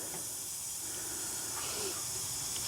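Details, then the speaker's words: 2004 Cadillac Escalade ESV with the 6.0 LS: while refrigerant is charged in, a steady, sharp hiss of gas escapes at the AC compressor. The owner suspects a bad compressor or its O-rings; not confirmed. "start throwing pressure in and you can probably hear it it's leaking right out of the compressor"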